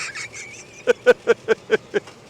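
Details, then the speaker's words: 1998 Mercedes-Benz S420 (W140) rolling into a driveway: one tyre gives a loud moaning squeal pulsing about four to five times a second with wheel rotation; all the tyres are described as terrible, pointing to worn, noisy tyres. "That's the loudest tire I've ever heard. That tire just likes to moan. Like my ex-wife."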